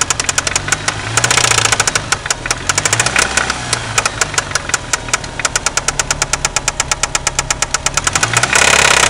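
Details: 1993 Eagle Talon turbo, stock 7-bolt 4G63: sharp, heavy metallic knock in time with the engine, louder on throttle blips; confirmed spun/worn connecting rod bearing, play between rod and crankshaft found with oil pan removed.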